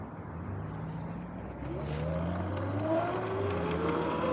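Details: Sur-Ron X electric dirt bike riding in the early evening, before the noisy bearings were replaced: whine rising with speed over a rough rumbling drone; noisy bearings.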